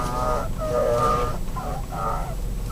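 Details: 2012 Nissan X-Trail, about 65,000 km: repeated squealing howls rising and fading when the wheel is turned hard; steering shaft rubbing dry in its bulkhead rubber grommet, silicone grease worn off, fixed by cleaning and greasing with Litol-24.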